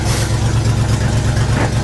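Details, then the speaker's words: 1975 IH 3/4-ton 4x4 pickup, 4-speed, 142,000 miles, cold start: loud cold idle with a low puffing pulse beating in time with the firing. Exhaust leak. "When I start this up, you're not going to be able to hear me talk because of the exhaust leak."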